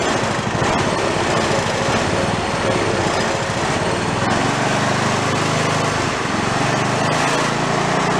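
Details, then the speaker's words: Toro riding mower single-cylinder engine, failed and torn down, rebuilt missing half its crankshaft, idling with no throttle: heavy, lumpy, uneven thump with strong shake "like a Harley", though less than expected, from the crankshaft's lost balance. "I don't know if the shaking is showing up. I don't know if the shake shows up on the camera. It's pretty good. Like a Harley."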